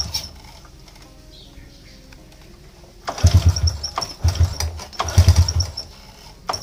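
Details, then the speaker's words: Motorcycle hard to start and sputters when it runs; a few short sputtering bursts that catch and falter without settling; weak, small spark traced to faulty spark plug causing misfire. "susah hidup dan bila hidup dia semput semput Memang agak Teruk jugalah"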